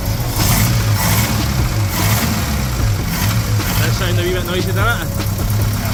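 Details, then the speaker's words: Ford Capri with a reconditioned Pinto engine, new distributor, points, plugs and carburettor: steady idle with a light, even ticking on top, attributed to the noisy solid-shim camshaft; runs fine with slight valve train noise. "timing was it C was it and the cam sha you is noisy the solid shims"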